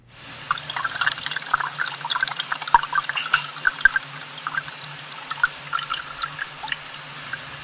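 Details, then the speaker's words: Homemade piezo ground listening probe held near a buried sewer line while a toilet is flushed: soft rushing and trickling water with scattered gurgles, steady throughout; normal water flow in the pipe. "when I flush the toilet you're going to hear the toilet flush right now and now you can hear the water rushing by in the pipe"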